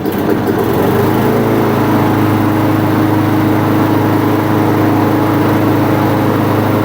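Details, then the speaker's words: Neglected small single-cylinder lawnmower rescued from the trash runs loud and uneven with a stumbling firing rhythm, smoking heavily. There is oil residue in the exhaust and the oil is milky. Rough running, likely from the mower's poor condition. "due to the poor state of this mower, you saw I did fire it up, and it was smoking quite a bit."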